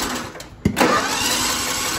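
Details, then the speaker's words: John Deere L110 mower with Kohler Command engine cranking; chatter, sharp pop and rough burst that never catches; backfires erratically and won't start; flywheel key referenced as a part. "like a backfire and it sounds really like it's gonna try to start but it won't okay so basically right there it's backfiring and it's acting all erratic"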